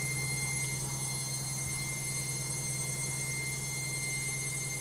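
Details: LOGIK washing machine on spin: loud steady drone with low hum and thin high whine, no knocking; noisy spin cycle.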